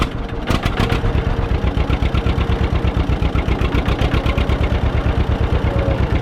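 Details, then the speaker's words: Barn-found John Deere 630 tractor, first start: slow even two-cylinder idle with sharp puffing tick on each firing pulse from exhaust manifold leak blowing out; dirty carb also suspected as it tries to die. "All right. So, it sounds like that ticking noise is a little leak here on the manifold. It's blowing out right here."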